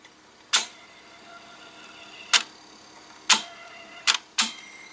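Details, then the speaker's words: ADS/Braun Atelier C2 drawer-style cassette deck, first test after purchase: sparse sharp ticks, five in about five seconds, as the transport tries to run but never gets going; owner suspects a needed new belt. "OOP that does not sound good you can hear something's trying to run but I'm running well it's just trying"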